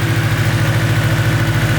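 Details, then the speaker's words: Nissan S15 after first start, with a borrowed fuel pressure regulator fitted to fix erratic running. Deep, even idle with a steady rapid pulse and no tinny rattle or ticking, now that the oil has moved around; runs smoothly, normal idle. "Unreal. That's it. Well done. Just sounds amazing."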